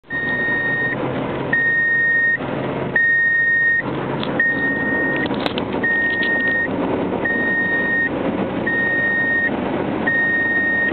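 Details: 1997 Subaru Legacy while driving: high single-pitch dash buzzer beeps on and off about every 1.5 seconds over road and engine noise, randomly for years; not the door sensors, so the owner cut the buzzer speaker wires behind the gauge cluster.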